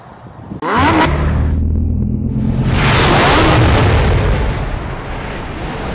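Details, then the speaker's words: GMC V8 after repair of failed lifters (lifter tick), new camshaft and lifters installed: engine starts and settles into a smooth, deep idle with no more valvetrain ticking. "We're going to go ahead and start it up. Show you what it should sound like. And there we go. So, we'll get down here. You can hear there's no more ticking."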